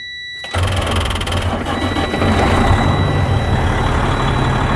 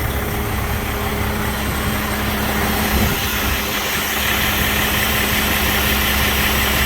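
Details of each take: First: 2007 Freightliner with rebuilt Detroit Series 60 14L, about a year after the rebuild: after dash beeps the starter turns the engine slowly and laboured, about three turns a second, the starter not yet replaced since the truck was bought; slow dragging cranking. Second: 2007 Freightliner with Detroit Series 60 14L diesel, over a year after a backyard rebuild, EGR still fitted, aftermarket turbo: deep steady idle with even low drone and faint fan whir, no knocks or misses; runs good.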